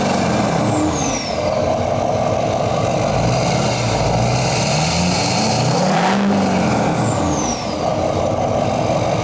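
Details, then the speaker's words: GMC Duramax 2500 diesel after 80 hp EFI Live tune and 5-inch straight-pipe exhaust with muffler delete, revving: loud open rumble with clear high turbo whistle rising and falling with each rev; normal turbo spool. "hear that turbo yep i love the sound of a turbo if you can't hear a turbo you don't even really have a diesel"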